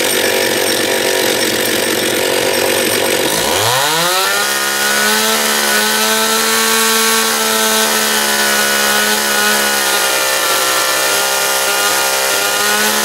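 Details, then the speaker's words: John Deere EV45 chainsaw after carburetor rebuild with new diaphragm, during high-speed needle adjustment: snaps up from a raspy idle to a clean, steady high scream holding pitch without surging or stumbling; sounds healthy. "it seems all right there seems pretty happy"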